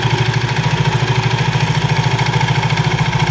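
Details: Soul GT 115 scooter at idle, CVT knocking; regular light knock about three times a second, quieter after tightening, front pulley still wobbles, mechanic suspects a missing centre ring, worn loose parts.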